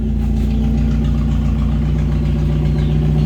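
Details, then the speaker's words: Timor, injection engine, with racing exhaust at idle: engine still smooth, no vibration, loud booming exhaust note; steady even idle, no misses or knocks. Loud aftermarket exhaust at idle. "[Musik] keras suara knalpot ya menggelegar"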